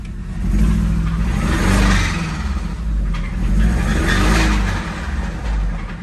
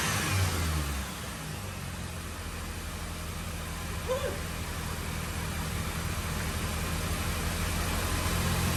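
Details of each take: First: 2005 Mini Cooper S R52 convertible, supercharged, bought with a noisy engine, jump-started, oil unchecked: engine revved up and down with a rough knocking undertone following the revs, apparently deep in the engine. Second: 2005 Mini Cooper S R52 convertible bought with a reportedly noisy engine, with water in the system; it catches quickly, settles to an even idle, then blips up and back down cleanly with no knocks: normal start and rev.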